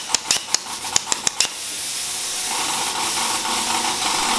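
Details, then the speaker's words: Newly bought plasma cutter: several sharp crackling pops, then a steady hissing rush that never settles into a clean arc, so it runs erratically. The owner suspects the air supply or an internal fault; insufficient power is also suggested. "it's mostly because of that air or there's something wrong with machine I have no idea"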